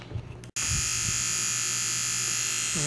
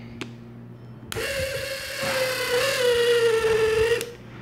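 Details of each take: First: Federal Signal Aerodynic light bar rotator motor after cleaning and repair, previously very noisy from dirt and grime; now a steady, even high-pitched whir with no grinding or rattle, running smooth and healthy. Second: Federal Signal Aerodynic light bar brushed DC motor runs about three seconds with a harsh, gritty buzz over a wavering whine, stiff and grinding when turned by hand, from a dirty, tarnished commutator before cleaning and resurfacing.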